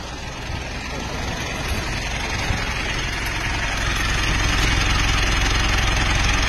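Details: Mitsubishi Montero diesel idling with a steady metallic clatter, about three to four taps per second, and engine shaking. This was blamed on unsuitable engine oil; an oil change alone returned it to normal.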